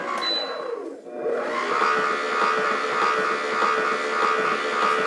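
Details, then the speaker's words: Jocuu two-speed slow masticating juicer running empty on the hard setting; steady mid-pitched motor whir with faint even gear churn, no grinding or knocking, fairly quiet, normal. "so now the machine is on it's not a ton of noise here it is on hard"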